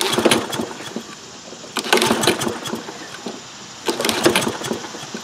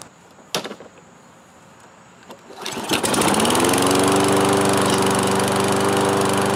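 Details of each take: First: Toro Recycler 22-inch mower, single-cylinder Kohler engine with automatic choke, unused over four years, fuel present and oil low: three recoil pulls with normal compression rattle, never fires; cranks but won't start. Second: Toro Recycler 22-inch mower, single-cylinder Kohler with automatic choke, after repair and reassembly (no new air filter yet), once unused four years: starts on one pull, settles into a steady even drone, no misses or surging; normal running.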